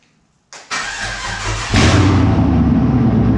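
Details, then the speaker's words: Holden Monaro V8 on its first start after reassembly with a Crower 217/226 114 cam, open headers not joined to the exhaust: a starter whirr, then it catches and settles into a loud, lumpy idle with exhaust crackle; starts cleanly. "It's open headers. The headers aren't joined to the rest of the exhaust, so it'll be loud."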